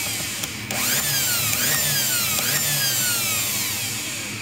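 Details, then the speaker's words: Brushed electric planer motor powered by a homemade DC to AC 60Hz inverter prototype: high whining hum with repeated falling pitch sweeps at steady, very high speed; motor runs fine on this supply, though it is heating. "está ligado agora acionando a máquina fez ouviram aí o ruído aí está olha"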